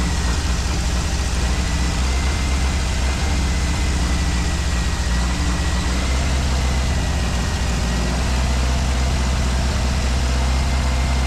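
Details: 1965 Ford 289 4-barrel V8 for a 1955 Ford pickup, now with exhaust fitted: low, heavy rumble that wavers unevenly; it won't idle and a carburetor rebuild kit is on order.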